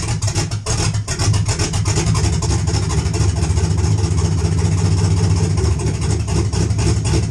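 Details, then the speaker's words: 1951 GMC pickup with 4.8 LS V8, BTR NSR cam, FiTech intake, 799 heads, no exhaust, stock computer: lumpy, hunting idle that never settles and dies without throttle; owner suspects the parts are too much for the factory computer, needs more idle fuel. "okay so you heard it die at the end there that should give you a really good example of what I'm talking about without any throttle it just Falls flat in its face"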